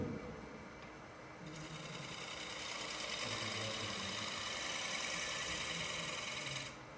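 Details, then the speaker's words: Wood lathe turning a bowl, gouge floating just off the bevel: soft even hiss of shavings with a gentle steady rhythm and no chatter, a quiet, stable, clean cut with no tear-out on end grain. "You hear how quiet my tool is? If your tool is making a lot of noise, that's generally a bad thing."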